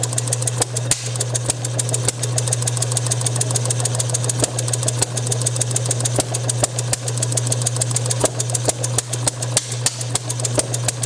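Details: Bessemer model engine driven by an electric motor on a test bench, with a borrowed carb and Hall-sensor spark, timing retarded to just past top dead center: sharp, uneven pops about three a second over the motor hum. It fires intermittently but won't self-run; owner suspects too little fuel-air mixture or compression leakage.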